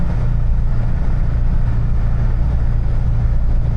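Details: Niva test drive on the highway after gearbox repair (some gears replaced, 2.5 L 80-90 oil added) at 92,351 km: even low drone at steady speed, no whine, clunks or grinding; gearbox healthy, front propshaft still needs work.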